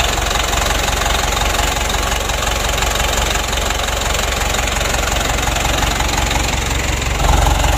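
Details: Mitsubishi Canter diesel re-overhauled after only 5 months (oil burning, cracked piston), after rebuild, idle raised while the injection pump is being adjusted: heavy, uneven idle chug with a steady rattle underneath, still shaking; rough idle, cause not confirmed.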